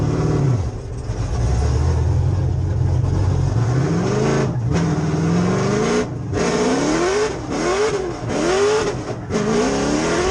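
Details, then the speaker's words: 1992 Nissan 240SX (S13) drift car with 6.0 LS V8 swap and 4-speed dog box, on track: engine revving hard keeps cutting out and stumbling under hard load; cause unclear. "can tell her here when I grab the hydrant pushing the cluster hard does actually die not quite sure what it is"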